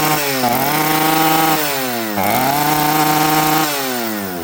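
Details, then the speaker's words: Chainsaw at full throttle with a rebuilt carburettor: revs sag and pick up in repeated dips, burbling, smoky, never clearing, won't idle or throttle cleanly. Rich bog from the metering lever set too high. "Okay friends, that was full throttle. Let's hear it again. This thing will not throttle cleanly and it will not idle. And that is a 100% metering lever."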